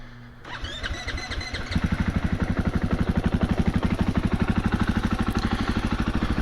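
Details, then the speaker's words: 2021 KTM 500 EXC-F, first start after decorking with open intake and exhaust settings: starter whirs, engine catches into a steady, even thumping idle with a slightly throatier, slightly louder note. Healthy start-up and idle; owner smells exhaust and wonders if it runs a little rich. "Definitely has a little bit throatier note, but it's not a whole lot louder. It's a little bit louder for sure, but it's definitely not obnoxious, which is what I wanted."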